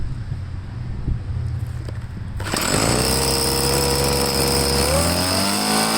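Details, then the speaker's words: Troy-Bilt two-stroke leaf blower after carburetor cleaning, refuel and slight carb tweak, air filter cover off: catches after a few seconds, settles to a clean steady buzz, then revs smoothly; runs normally. "i only got to tweak the carburetor just a little bit it seems to be running good so i'll start it up now and you can check it out for yourself"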